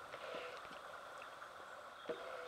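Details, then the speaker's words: BSA A7/A10 twin, supposedly rebuilt engine, timing cover off, not running: a few dull separate clunks as the crank is pushed end to end. Dial gauge shows 0.4 mm (about 16 thou) of excess crankshaft end float. "you can actually hear the crank clunking backwards and forwards from side to side"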